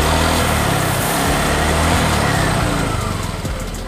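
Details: Honda Vario 125 scooter with a weak double starter, after battery checks: small single-cylinder buzz at a steady, even idle with no misses or knocks; charging is good at 13 to 13.6 V.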